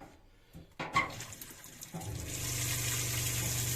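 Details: Newly installed Shurflo water pump in a Clemenson camper cell on a Mitsubishi L200 K74, already pressurised; after clicks a steady low pump hum with water rushing from the tap, good flow; normal pump operation.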